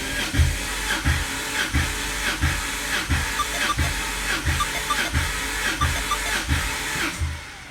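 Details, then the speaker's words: Volvo 850 T-5R freshly rebuilt engine (step-decked sleeves, metal head gasket), cold first cranking: even starter churn with strong regular compression pulses; 40 psi oil pressure on cranking, compression slightly under 190 on one cylinder, others around 190; healthy. "Nice. So we got 40 pounds of oil pressure on cranking."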